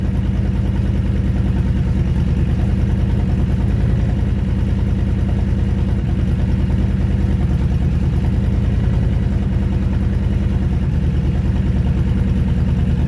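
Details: Honda Fury V-twin motorcycle with 727 miles, sat 7 years on a farm: low idle thumping with wavering rhythm; idle not consistent, cause unknown.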